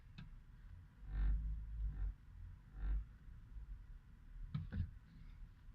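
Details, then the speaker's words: 2017 Chevrolet Traverse 2LT at 14K miles, stationary in reverse: a deep low rumble with irregular heavy thumps booming into the cabin. Vibration in gear at standstill that persists after dealer visits; cause not yet found. "As you can see, the issue is still there. I just decided to move the car anymore because I'm pretty scared about this because something can get broken because the high vibration."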